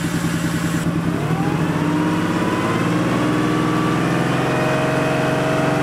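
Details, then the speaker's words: Porsche 911 3.2 Carrera flat-six, injectors back from servicing, fuel pressure near 2 bar: idle rising and falling over a few seconds, surging, then it died and restarted; cause unclear. "it's interesting we've got a little bit of surging going on at idle"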